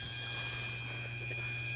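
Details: Universal high-pressure out-of-tank electric fuel pump running freely without regulator, before line is choked toward 40 psi: steady even high-pitched whine with low hum underneath; normal, no cavitation bubbles yet.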